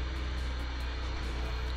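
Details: 1990 BMW E30 318is after replacing the A/C compressor V-belt, engine idling and checked with A/C and steering load: runs steady and even with no squeal or chirp from the belt; belt drive sounds normal.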